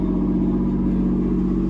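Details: Camaro V6 just after first start following fuel pump relay check, idling a little high about 2,500 rpm: steady smooth hum, even and free of knocks or misses; normal high idle.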